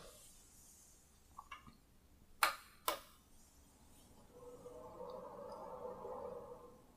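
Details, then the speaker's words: Synology DS415+ NAS with four 4 TB WD Red drives at first boot, microphone about 2 ft away: a couple of clicks at switch-on, then a soft, even fan and drive whir; quiet, normal idle. "as you can hear from that audio test it is pretty quiet I don't know if it will make more noise as it's uh accessing the discs"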